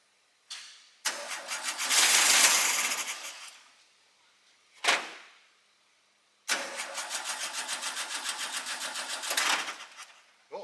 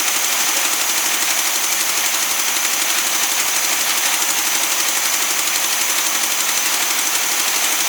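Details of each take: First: Newly acquired SpraCoupe engine for a 1961 VW bus, primed with fuel, coil from original bus engine: bursts of cranking, fires briefly and dies, stumbling and uneven; a little flooded. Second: Newly acquired SpraCoupe air-cooled flat-four for a 1961 VW bus, running on coil from original bus engine: quick tinny even clatter about four beats a second, steady without stumbling; oil light goes off instantly; healthy idle.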